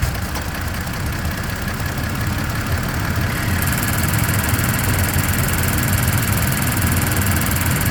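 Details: Toyota Tacoma TRD Off-Road (listed as 2023/2024) at idle. A fast, light, high-pitched ticking rides over the steady idle from 0:09 to 0:26 and again from 1:54 to 2:15, sharper later. The source is unknown.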